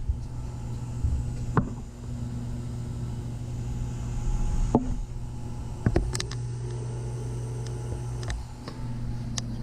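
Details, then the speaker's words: Takagi T-H3-DV-N tankless water heater, first startup, with primary loop pump running and water around 116 degrees: low steady hum under the burner and pump with occasional light clicks; pump has become quieter, normal running. "you know what's funny is this pump i believe has gotten a little quieter i mean you can still hear it"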